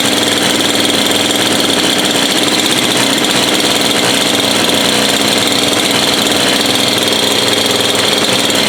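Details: Bush cutter (weed eater) small two-stroke after repair: dirty spark plug cleaned, no fuel found, filter opened and blockage removed; first start after priming the pump and using choke. Steady, even high-pitched buzz at constant speed, no misses or surging; running cleanly, fixed.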